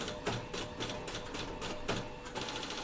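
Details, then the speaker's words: Epson L15160 printer, about 350,000 prints, timing belt previously replaced, printing at high quality: scratchy crackle about three times a second as carriage moves; lines print crooked and ghosted; owner plans print head alignment, cleaning. "Ada suara krekkrek gitu kan Ini cetakan pertama ini pakai kualitas yang high ya tuh ada suara kasar ya"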